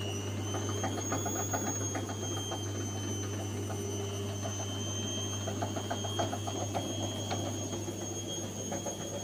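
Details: Gorenje washing machine spinning at 400 rpm with bad drum bearings: steady low roar with gritty rattle and high whine beneath.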